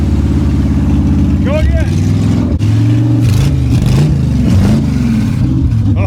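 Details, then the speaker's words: Abandoned Chevrolet C10 project, engine first fired up with no exhaust fitted: a loud open-header V8 bark rising and falling crisply with throttle blips, oil pressure coming up. It sounds healthy and runs well. "Sounds healthy, man. This thing sounds good."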